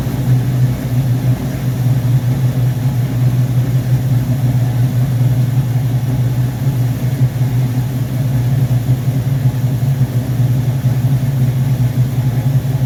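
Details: V8 on first start after rebuilt Rochester Quadrajet 7029202 from a 1969 Corvette, bowl damaged by ethanol fuel and cleaned: steady even low rumble, no misses, stumbles or surging; normal idle.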